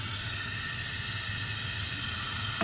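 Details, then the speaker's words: Toilet with traditional float fill valve running constantly, mic held close; steady even hiss of water flowing without letup that stops when the supply valve is shut off, fill valve not shutting off, needs replacement. "you can definitely hear that it's running now if you go down here and you shut the water supply off you'll hear that that noise goes away"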